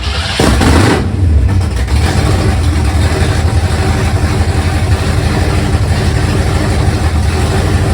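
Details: 1971 Mercury Comet GT 347 V8 after warranty repairs and engine reinstall, running open headers with no mufflers or hood, on test drive in snow: deep, loud rumble settling into steady even lope; normal idle.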